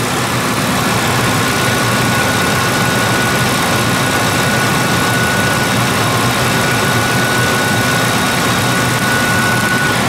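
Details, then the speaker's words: Ford 2-valve 4.6 V8 after new Dorman intake manifold replacement, cold day, warming up at idle, coolant 116–128, no smoke: smooth even idle hum, no ticks, knocks or misses; running really good. "128 on the coolant. This is running really good. I don't think I've quite ever heard this car run this good before."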